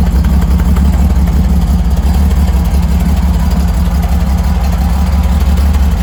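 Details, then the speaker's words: Freshly rebuilt Holden grey motor with twin carbs, first start, temporary open exhaust straight out of the muffler: deep, steady idle with even beat, no ticking or knocking; normal, healthy idle. "so I just did that there to get it running so um sounds good hey sounds good"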